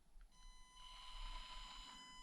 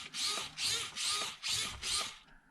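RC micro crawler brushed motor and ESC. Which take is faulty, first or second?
first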